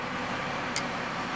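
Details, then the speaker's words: 2006 Ford 500 after replacing a dirty fuel filter. The filter had caused highway stalling and a fuel rail pressure sensor code, and replacing that sensor did not help. A steady, even idle with no knocks, misses or whine: normal idle. "so here's our ford 500 it's a 2006 as you can hear it's running perfectly fine now but because of the dirty fuel filter the car stop was going up the highway"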